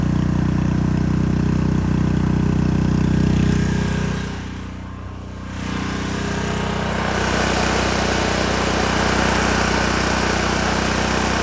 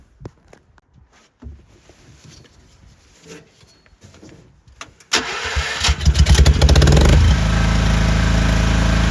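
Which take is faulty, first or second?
first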